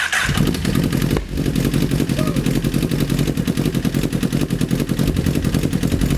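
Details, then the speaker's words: 2008 Honda CBR1000RR streetfighter, rebuilt engine just refilled with fluids and new exhaust fitted: hard, loud clatter at idle, about three to four knocks a second over the exhaust; engine knocking, cause not yet found. "that doesn't sound good that sounds very bad [Music] nope something's definitely wrong in there"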